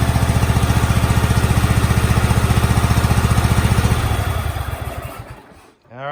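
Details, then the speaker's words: 2003 Craftsman GT5000 garden tractor V-twin: a lumpy, uneven idle that then dies off, firing only on the left cylinder. The right exhaust is barely lukewarm after running, and the owner suspects that side's coil pack is dead. "that tells you all you need to know. We are only firing on the left-hand side cylinder here."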